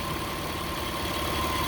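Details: 2003 Mitsubishi Eclipse GTS 3.0L V6 at idle during mass airflow sensor replacement for code P0102: a smooth, even idle hum with no whine or squeal on top. The power steering, which had been whining, is quiet here. Normal idle.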